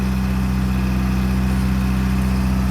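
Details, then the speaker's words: Detroit Diesel 4-53 in a Grove RT60S 20-ton crane that had water in it and was seized the day before, just after start-up: low, steady idle with an even pulsing beat, no knocks or misses. "How's that fire up? Considering it had water in it and was seized yesterday."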